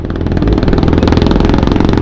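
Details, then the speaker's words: Kawasaki Z1000R after backfire removal at shop: quick, even exhaust pulses at steady idle with no popping or stumbling; idles cleanly, no more popping. "so Okay na wala ng putput si zus satisfied naman ako sa service"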